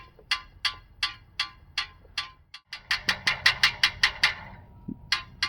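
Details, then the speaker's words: GMC W4500 box truck flex plate, removed, making bright metallic clinks a few a second as the edges of its crack touch while it flexes; this crack caused the knocking noise. "So you can see, because of this crack, the flex plate, it's flexing left and right too much. And the edges are touching each other and making jingle bells."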